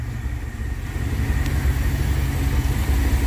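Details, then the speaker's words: Rebuilt Dodge 318 Poly V8, cold start after sitting a few hours, no choke, fired right up: deep, steady, even burble at idle with no knocks or misses, purring smoothly; normal idle. "I didn't choke it nothing just boom fired right up but man listen to that not so bad huh [Music] this thing's just purring like a kitten"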